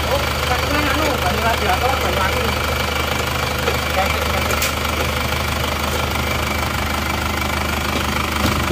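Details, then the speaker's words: Isuzu Panther Touring diesel that broke down on the toll road after running out of coolant, idling after engine rebuild and refit, power steering not yet fitted; steady even clatter, no deep knock or misses, smooth and healthy. "Power steering belum dipasang karena mereka meminta untuk diservis juga. Ini bocor. Beginilah bunyinya. Mulus."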